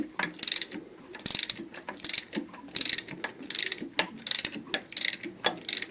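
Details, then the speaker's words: Opel A18XER with twin cam phasers, cam turned by hand with a 24 mm wrench: bright ratcheting clacks in bursts as the exhaust camshaft moves while its phaser gear stays put; worn exhaust cam phaser with free play, engine with heavy oil consumption and knock. "давайте наверное покруч вы послушайте сами этот звук так так крышка видите клацает"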